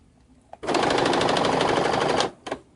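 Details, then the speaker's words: Baby Lock sewing machine sewing: rapid harsh rattling clatter and fabric not feeding, because thread is jammed and the fabric is caught and wedged in the metal needle plate; fix is cutting it out. Thread jam. "that terrible noise and see how it's not feeding the fabric correctly? Let me show you what's going on up underneath here. My fabric is actually caught and stuck, wedged in the metal plate on my sewing machine."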